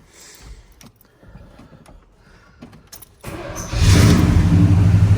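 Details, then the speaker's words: 1976 Chevy K10 square body V8, first start attempt in neutral without clutch pushed: cranks briefly, fires at once and settles into a strong, even idle rumble; good oil pressure, so no clutch neutral switch. "start right up. It's got good oil pressure, so it does not have a neutral switch on the clutch."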